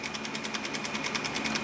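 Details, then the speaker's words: Sony EVS-7000 Hi-8 VCR in forward search: even, rapid ticking about ten per second over fan hiss as the tape jumps; a cracked reel drive gear eats tape, plays fine but fails in fast-forward. "if I go on to forward search it'll actually go into forward search you see the tape jumping here"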